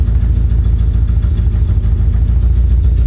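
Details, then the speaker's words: 1985 Chevy Corvette V8 rescued from Florida swamp, starting on key and own gas tank: loud uneven low idle with lumpy beat and tapping; dead miss on one cylinder, running on seven; tapping believed from exhaust, catalytic converter suspected destroyed. "If you hear a tapping noise, it's definitely got a misfire, a dead miss on one cylinder."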